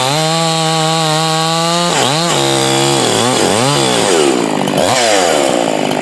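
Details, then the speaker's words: Husqvarna 345 converted to a 350 with a finger-port cylinder, fitted with a carburetor with a purge circuit from a later 350 to cure inconsistent running; under heavier cutting load, a steady high buzz with bogging dips that recover cleanly; pulls well. "So, um I'm going to fire it up and do some work and see if it can uh stay consistent under a little bit heavier workload than what I did up at the house."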